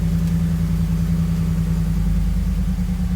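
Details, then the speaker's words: 2011 Ford F-150 idling after replacing fuse 27 (fuel pump power), having previously cranked without starting: a low, even rumble with no misses or knocks. The dash still shows a 'turn power off to save battery' message. "Seems like it gave us the same message, but it cranked up. It was not cranking up before."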